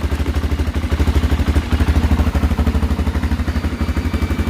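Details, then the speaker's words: Honda XR400 single with an electric start mod, idling just after its first start in 2 years on a jump starter, no choke: a steady, even low thump with no knocks or misses. Runs healthy, smoking a little. "oh be quiet i'm gonna turn that off i think runs pretty good that's smoking a little bit"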